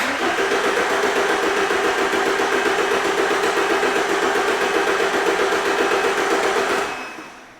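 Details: 2011 Ford Transit Connect 1.8 TDCi crank no-start: even cranking at about four pulses a second for seven seconds, never firing, scoped at the ECU plug; the crank sensor signal is good, so the wiring to the ECU is fine.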